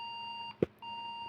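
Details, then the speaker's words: MSI PRO B650-P WiFi motherboard started without memory: steady high-pitched speaker beep with one brief break; the board won't start with memory installed and a BIOS reflash didn't help; a chipped die chip fragment was found, bent pins also seen. "Спікер пищить, але з пам'яттю материнка не стартує."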